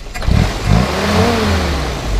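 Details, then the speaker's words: 1952 Willys Overland CJ3A four-cylinder, hand throttle lever: a couple of quick blips climb cleanly and drop back to steady idle, no popping, rasp or exhaust leaks; runs smooth. Normal free rev. "you can see here it just runs really really smooth and runs like a little sewing machine and uh sounds real nice no exhaust leaks or anything like that go ahead and rev it up a little bit"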